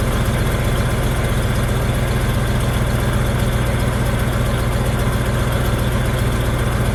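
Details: Ford F250 manual truck, just started after fuel pump work: steady smooth idle, noticeably too fast, no misses or knocks. Idle set high; owner suspects TPS, MAP sensor or throttle plate adjustment, and an old MAP sensor later brought it to 800-825.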